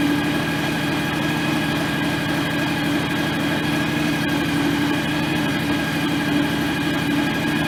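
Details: John Deere X738 lawn tractor after 50-hour service refilling the shared front axle/transmission/hydraulic/steering oil: small single running steady and even with faint hum, no whine or grinding from transaxle; normal idle, steering a little stiff.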